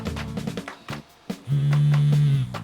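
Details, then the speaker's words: Aquafresh Extreme Clean Interdental Power battery electric toothbrush after battery replacement: low motor buzz starts, drops out, then holds about a second while the switch is held; intermittent cut-out, owner suspects an internal metal contact moved during battery replacement. "See, if I hold this in, I can feel it starts vibrating and then stops immediately. It's like, but alright, let me hold this in. You see there, now it works again."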